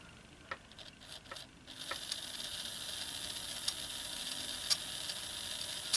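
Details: Graham Farish N-gauge Hall locomotive squeaking while running, with a thin, high motor whir and sharp chirps about every second at higher power; oiling one section at a time isolated the squeak to dry armature bearings.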